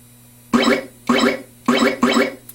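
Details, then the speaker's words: Atari Space Riders pinball: four quick scoring sounds as the ball hits the pop bumper skirt, registering points, but no solid bumper thump because the solenoid isn't activating; its fuse was found blown. "you can hear it registering the hit and giving you points but the solenoid isn't get getting activated"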